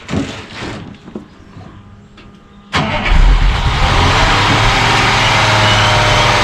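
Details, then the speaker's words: 1959 Mercedes-Benz 220S W180 Ponton 6-cylinder, restored and long stored, cold start with the fuel pump audible. Short crank, then it catches straight away and settles into a smooth, even idle, coming off the choke; a healthy cold start. "started easy enough course. It's cold. It came off the choke."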